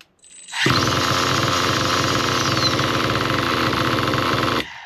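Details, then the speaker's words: Nitro RC car engine with the low-speed needle turned rich. A raspy, high-pitched buzz runs a few seconds as the rpm drops very low, then abruptly dies. Leaning the needle back clockwise restores good running. "Anyway, guys, as you saw by the rich setting, the RPMs went really low and the car just stopped workin"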